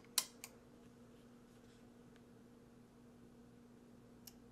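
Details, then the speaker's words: Roland DEP-5 digital effects processor after replacing I/O bypass relays, powering on: faint steady hum then one sharp click as relays switch exactly together instead of a delayed sequence; normal switching, no error codes. "there they go yeah they threw exactly together all right cool"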